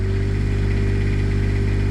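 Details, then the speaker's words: Onan Quietdiesel 7500 W generator in a 2000 Holiday Rambler Endeavor, 2400 run hours, after removal and full service: steady, even diesel drone as it drops from high idle to low idle, no knocks or hunting; normal idle. "Well, now the idle just dropped down."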